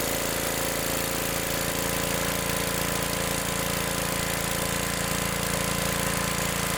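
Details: Old Gravely mower started on choke after an adjustment checked with a feeler gauge: steady, even single-cylinder chug at about three beats a second, holding without stumbling; it runs properly.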